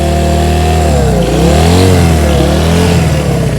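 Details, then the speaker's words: 1971 Honda CB100 single-cylinder, 2,786.6 miles, first start after decades unused and carb cleaning, just after choke off: uneven surging revs, running rich and flooding. "Where's my wrench? Listen, it's flooding. Oh, that's awesome. Sucker runs."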